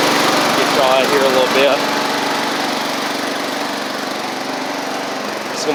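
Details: Sabre riding mower, first crank-up after drive belt, head gasket, carburetor and coil replacement: single-cylinder engine runs a steady fast patter and settles smoothly, no knock or misfire. Smoke is residual oil from the old head gasket burning off. Normal running.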